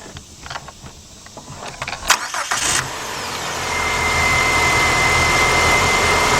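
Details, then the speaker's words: 2006–2010 Chrysler PT Cruiser 2.4, replaced radiator cooling fan, engine idling with AC switched on: a few clicks, then steady rushing whoosh with faint constant whir that holds; fan works properly, cooling radiator and AC condenser. "The fan is on. That means now the fan's going to cool off the radiator and it's going to cool off the AC condenser."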